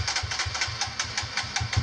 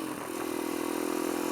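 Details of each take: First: Kawasaki KLX140 with newly installed KX65 carb, first test run: uneven low idle picks up into a fuller, faster run when the choke is pulled; owner suspects not enough fuel (lean). Engine revs up with choke on. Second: Kawasaki KLX140 single-cylinder dirt bike with newly installed KX65 carburetor, test ride at quarter throttle: smooth, steady buzz without stumble or popping; running clean at low throttle though tuning still needed.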